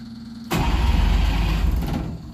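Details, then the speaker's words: Engine with fuel pump on and choke, smoky start attempt in shop: short burst of cranking about a second and a half, then drops off without running; hard starting, cause unconfirmed. "Let's try that again. Oh, it's not going to run. It's smoky, but it sounds a lot better."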